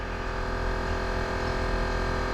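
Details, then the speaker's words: Tesla Cybertruck air suspension compressor with solenoid air valves, raising ride height to very high in off-road mode; constant low hum with steady whine, quite quiet, no rattles or surging; normal compressor run. "So there's an air compressor and solenoid air valves that control the whole system. There we can hear the air compressor. It's pretty quiet,"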